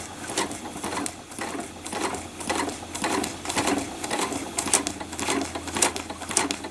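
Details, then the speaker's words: Sewing machine stitching a trapunto design at about two strokes a second, with a thin high squeak on some strokes; it probably needs oil after couching with fluffy wools. "She's squeaky. You can probably hear it. I probably need to oil my machine, especially after doing the previous tutorial in couching with all the fluffy wools and that."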